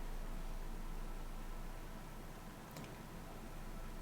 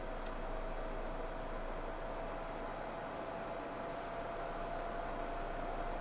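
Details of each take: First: PS4 Pro console idling at home screen before launching Warzone, with PS5 also on: faint steady low fan whoosh, no ticking or rattle; normal quiet idle fan noise. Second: PlayStation 4 Pro in the Call of Duty Warzone lobby: steady whirring climbs to a higher, louder pitch as the cooling fan speeds up hard; loud cooling fan.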